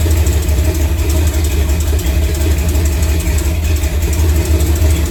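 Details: Chevrolet C10 V8 on first start after new Spintech exhaust was fabricated and fitted: deep, loud idle rumble with a light fast tick in time with the firing, from an exhaust leak where a bolt is missing.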